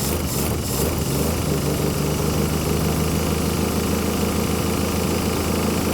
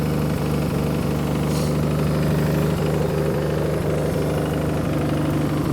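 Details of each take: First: 1966 Plymouth Barracuda Formula S V8, sat for decades, first start with a leaky carburetor dumping fuel: a steady, even, smooth idle with no knocks or rattles, a little smoky, until it ran out of fuel. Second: 1966 Plymouth Barracuda Formula S engine, revived after decades sitting; lumpy slow idle around three beats a second, a touch low and loping; idle screw may need turning up slightly or timing increased.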